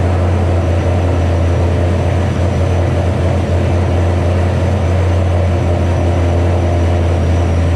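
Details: 2007 GT500 supercharged V8 on its first start after installing L&M NSR cams. A fast, steady drone well above normal idle that never settles, from the initial Venomous Tuning tune; a later revision brought it down.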